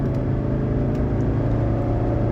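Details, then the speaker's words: 1985 Mercedes 300SD (W126) 5-cylinder turbo diesel, finished build on test drive after an alignment, full-throttle pull from a stop on a straight road; deep, strong, even drone with no knocks or misses, healthy and fast. "all right there we go this is officially the fastest 126 300 SD that I've driven"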